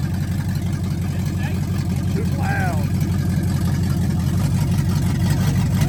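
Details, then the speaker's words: 1977 Ford F100 V8 running after brake bleeding: deep, steady rumble with loud exhaust, even and smooth with no knocks or misses; sounds good. "loud it sounds good well we're disturbing the neighborhood now yeah hey that is a lot better on that though yeah"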